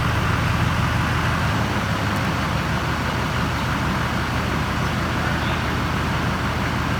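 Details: Duramax diesel with a swapped-in ZF6 transmission, idling after the grinding was traced to the fan rubbing the shroud. Even, steady rumble with no scraping or grinding over the top. Normal idle.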